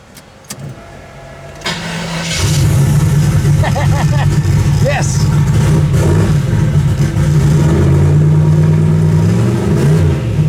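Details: Turbo Chevy Nova after new valve stem seals, timing set to 6 degrees at start instead of 20, temperature about 170: catches cleanly after a brief crank, then pulls through firm even revs with a steady deep rumble; starts and runs healthy.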